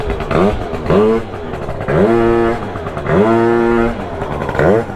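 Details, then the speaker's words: Honda Dio two-stroke scooter with a new pipe and the CVT off, while adjusting the fuel pressure regulator: revs rise and sag in uneven bursts and never clear, the engine loading up and running rich. "Sounds like it's loading up already."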